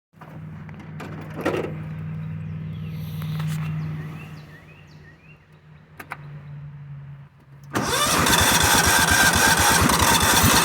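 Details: Cub Cadet HDS 2135 Series 2000 riding mower towing a trailer: long weak, struggling turnover before the engine finally catches and roars up; hard starting.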